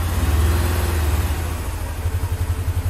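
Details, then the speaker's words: 2001 Mini Cooper R50 misfiring badly, hard to start, running as if on two cylinders with a block of wood holding the throttle: lumpy, stumbling idle with some backfiring; cylinder one's injector isn't injecting and compression test shows no compression. "um it just it's just running like on two cylinders so I even have a block of wood there to give it a bit of gas to keep the so you can more or less hear that"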